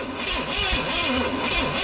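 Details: 1969 Pontiac GTO, believed Pontiac 350, sitting 35 years in a barn: steady rhythmic cranking with uneven puffs that never catch; won't start. Carburetor possibly gummed up and dumping fuel; very low compression suspected.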